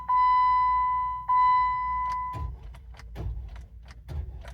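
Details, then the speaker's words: 2007 Jeep Wrangler no-start, starter already replaced three times: turning the key gives two long warning beeps, then a few sharp clicks with no cranking or firing; cause suspected, not confirmed. "so I had a problem with this Jeep you twist the ignition and it clicks like this if you can hear"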